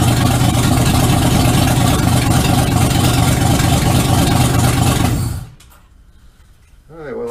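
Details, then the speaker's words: 1951 Ford F1 rebuild, owner-built V8 on first start in the truck, no exhaust or oxygen sensor yet, running rich until the fuel injection learns its fuel tables, cranks a little rough when rich: loud, slightly lumpy idle, steady pulse about two per second; rich-running idle. "I don't have the oxygen sensor installed they don't have any exhaust to install it in yet so it's running a bit rich until the Tillett learns a new set of fuel tables but that's fine for now"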